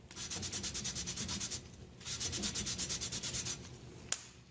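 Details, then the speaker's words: Toro 724 snowblower engine valve lapping to fix a leaking valve, guide already worn; soft, even swishing strokes about three per second with no gritty crunch, whisper quiet as compound breaks down, indicating a smooth lapped valve seat. "I'm going to break those particles down, make them smaller, and get a smoother finish on that seat. You can hear it's whisper quiet now."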